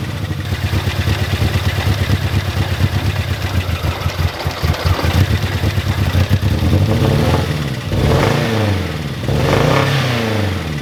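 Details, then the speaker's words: Mini Cooper R50 after new spark plug leads, plugs torqued, coil pack connections cleaned: still lumpy, uneven chugging that stumbles and surges, engine management light on, sometimes cuts out at idle; rough running misfire persists. "The car is still running very rough. The engine management light is still there. I don't know what to do."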